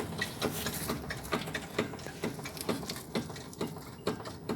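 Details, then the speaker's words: Fiat Idea, steering turned: sharp, regular clicking knocks about twice a second, seeming to come from one side like a steering-box arm or adjustment; noise appeared after a suspension alignment. "Então, fica parecendo que é um braço de caixa ou regulagem de caixa. E fica parecendo que é desse lado."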